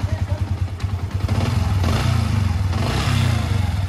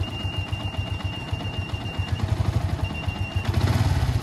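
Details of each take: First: Yamaha Vixion after water pump repair, which fixed a squeaky mouse-like noise at idle that vanished when revved: even, steady low putter with regular firing beat and no squeal; engine now runs normally. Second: Yamaha Vixion motorcycle at idle: thin high mouse-like squeak chirping over idle, disappearing when revved; water pump opened for service.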